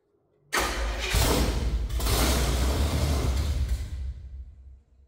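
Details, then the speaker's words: Chevrolet C50 rat rod build after a chassis swap, fuel not yet reaching the engine: catches suddenly with a loud, rough roar on poured-in fuel, runs about four seconds, then fades out. Fuel delivery is suspected, not confirmed. "this thing fires right up when it gets a little bit of fuel"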